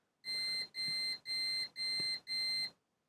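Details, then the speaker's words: Manta SPK15GO Bluetooth speaker mainboard, multimeter probing capacitor pads in continuity mode: five even high beeps, about two a second, then silence; intermittent continuity, owner suspects a capacitor charging and discharging, possibly damaged, not yet desoldered. "słyszycie to jest dziwne zachowanie podejrzewam taka ten kondensator się ładował i rozładowywał może on jest uszkodzony nie wiem do końca bo go jeszcze nie wylosowałem"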